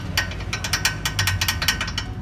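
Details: Perodua Myvi front wheel area: sharp, irregular metallic clicks as the metal brake caliper slide pin knocks in its bore; a simple fault, fixed by pins with a rubber-sleeved bush.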